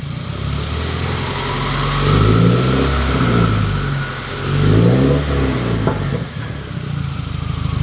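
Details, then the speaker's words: Subaru WRX with a Tomei cat-back straight-pipe exhaust, blipped and heard from underneath: a tinny clatter under the revs as the cat-back bangs up against the end of the differential, where the control arms meet. "you can see that the cat-back you can see that the cat-back is hitting right there and when it rattles it's actually banging up on there"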